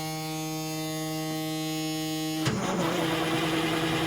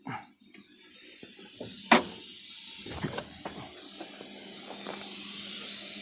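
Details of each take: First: 1987 Kenworth T600 with 3406B diesel, sat in a field over 20 years, first start attempt with fuel gravity-fed to prime it: a buzzer sounds, then it cranks evenly without dragging or grinding and oil pressure comes up; cranking is healthy. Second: 1987 Kenworth T600 3406B diesel trying to build air at its first start after over 20 years in a field: a steady high-pitched hiss with a couple of knocks from a huge air leak underneath; an air tank is probably rusted in two.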